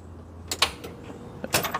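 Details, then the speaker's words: 1956 Chevy Bel Air project car, previously turning over: key turned, a couple of sharp clicks, no cranking; starter solenoid engaging but battery too weak to turn the starter. "uh is that the starter solenoid go ahead yeah I think that's a starter solenoid engaging but it's not enough battery to actually turn the starter"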